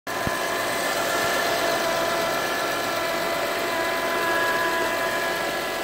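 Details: 2007 Acura TL Type S at idle: constant high-pitched whine over a smooth idle, holding steady throughout; source of the engine bay whine not identified.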